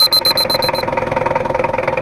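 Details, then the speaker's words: Diesel after engine overhaul, complaining of rough sound, thick smoke and high fuel use; pressure gauge fitted: a few beeps, then a harsh, fast idle clatter from incorrect injection pump setting and timing, before adjustment. "sudah kita hidupkan terus untuk suaranya itu agak kasar nanti kita setting dan ditekan and inner pressurenya ini kurang pas nanti kita buatkan dan suaranya kita cari yang lebih halus"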